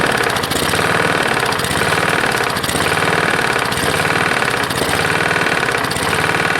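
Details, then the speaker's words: Roadside-found Lawn-Boy mower, 149 cc non-OHV engine, dirty oil, first start: heavy, uneven knock about every two seconds over the buzz; pulling the lever doesn't make it louder; owner unsure of the cause. "that sounds like it's got quite a knock so when you pull this in nothing gets louder so i'm not quite sure"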